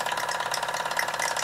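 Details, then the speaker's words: Mamod SR1 steam roller (1963/65, probably 1965/66), near end of roughly 10-11 minute run: quick even chuffing with wet crackly gurgle of exhaust water bubbling in the chimney, which may hold her back slightly. "Sounds like there's quite a bit of water, exhaust water in the chimney."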